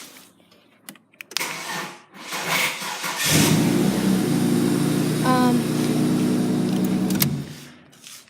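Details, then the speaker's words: Holden VT with a really new battery and a new alternator: several sluggish, dragging starter turns before it catches and idles, sounding like a flat battery. Cause unclear. "as you can hear it said sounds like a flat battery but the batteries actually really new"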